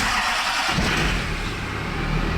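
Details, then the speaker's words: Duramax diesel pickup after clearing P0722 output speed sensor and P0700 transmission codes and repairing transfer-case sensor wiring: brief crank, clean catch, even steady idle; healthy start. "Sounds good when it starts though."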